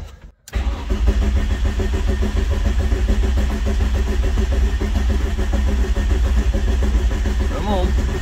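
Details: VW Rabbit pickup, rebuilt engine, first crank with main connector unplugged to build oil pressure, no firing intended: steady, even starter cranking with low churn at constant speed; later leaks traced to wrong head gasket.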